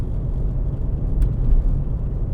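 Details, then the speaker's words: 2006 VW Golf Mk5 2.0 TDI BKD diesel after MAF sensor cleaning, cold engine, trailing throttle just below 1,500 rpm where it used to run rough: low, steady rumble with no stumble or hesitation; normal running. "Just below it between 1,500 rpm, cold motor, trailing throttle, nothing."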